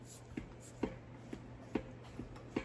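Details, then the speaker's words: Crankshaft end play check on the original numbers-matching 1970 Plymouth Sport Fury GT 440 six-barrel short block during overhaul: six dull metal clunks as the crank is levered fore and aft. Normal thrust, measured about 0.005 in, within the 0.004–0.010 range. "Here's what our crankshaft end play or thrust looks and sounds like."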